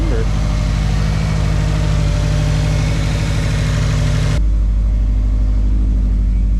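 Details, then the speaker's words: 2005 Subaru Outback XT after a Stage 4 install (Blouch 1.5 XTR 10cm big turbo, Tomei unequal-length header), before tuning: a deep, loud exhaust rumble with even firing that steps up cleanly when revved and revs quicker than before. Nothing is leaking and it runs healthy. "It revs a lot quicker too. Sweet. Okay. All right, so that's gonna be it for this video. Everything's installed and it's running, nothing's leaking."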